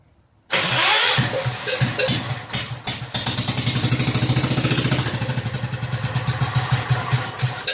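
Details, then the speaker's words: Rebuilt 10 hp Kohler K241 in a John Deere 210 garden tractor, idle turned up slightly: runs unevenly with surging for a few seconds, then fades out; owner suspects partial fuel delivery problem, unsure about fuel pump, possibly air in the line. "now we're running there a well we have two fuel delivery issue partially let's throw a little more gas in it see we get it to draw from a gas can and run a little longer"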